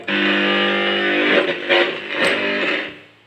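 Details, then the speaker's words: Boss GT-10 guitar effects unit after repair of RAM/spare parts that caused FM-radio-like noise: strummed electric guitar chords come through clean, with no hiss, hum or crackle. "dan sekarang sudah ini kalau ini sudah Oke jadi tidak keluar suara noise ini sudah berfungsi normal ya"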